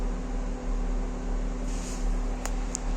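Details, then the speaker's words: 2012 BMW X5 E70 after fixing cold-start misfires by replacing an ignition coil, reassembled and rechecked: low, smooth idle hum with no skips or shake, a few light clicks around the car; engine running clean, normal idle. "Машина зібрана, працює відмінно, мотор урчить суперово."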